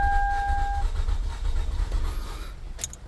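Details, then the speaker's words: 2008/2009 Toyota Camry, manual, check engine light on, runs badly and stalls with AC: starter turns the engine steadily but it never fires. Suspected bad engine. "so what we're gonna do is we're going to give it a shot and see if it starts up this is a manual transmission but it will be the same thing for the automatics start it up as you can see cranks"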